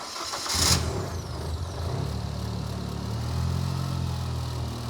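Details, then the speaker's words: Fox Body turbo car on the dyno with new injectors and a direct-injection-style aftermarket fuel pump heard running; starts quickly and settles to a steady, even idle. The no-fuel-pressure problem was a wrong calibration, not a hardware fault. "yo I hear the DI pump going the calibration was wrong Ian Stewart if you're watching it was the calibration not a hardware problem"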